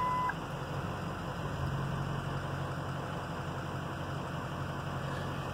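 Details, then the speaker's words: 2007 EarthRoamer XV-LT, about 25,000 miles: key on, push black alarm knob, start; short chime, then a low, steady diesel idle settles in without knocks or hunting; engine healthy. "you just absolutely turn on the key there's a little black knob here that you got to push or the alarm start her up"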